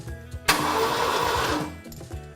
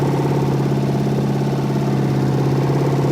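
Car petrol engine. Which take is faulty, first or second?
second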